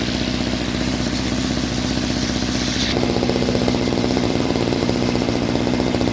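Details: Homelite 2-stroke string trimmer with new string: buzzy idle rises into a higher rev and holds steady without stumbling or misfire; normal running.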